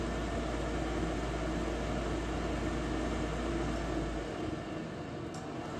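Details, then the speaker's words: Goodman natural gas furnace after DIY replacement of bad gas valve, after a first failed try: steady roar holds about four seconds, then low rumble drops away as it catches and fires normally, no error code. "there it goes all right that's what I'm talking about guys"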